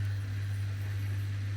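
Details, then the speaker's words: Bosch Serie 6 washer-dryer drain pump after a blockage was cleared: steady low hum rising to a slightly higher tone as the last water sloshes against the impeller, machine now empty; pump drains slowly and needs replacing. "You can now hear, because the pump is gone to a slightly higher tone, it's actually sloshing water just against the impeller, so that has actually drained the water out of the machine."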